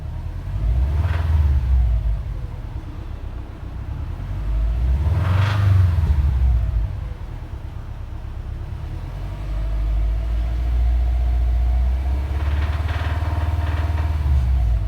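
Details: Subaru WRX at idle and through several throttle blips: deep lumpy rumble with a rough knocking beat; owner suspects rod knock or piston slap; engine knocking noise, cause undetermined.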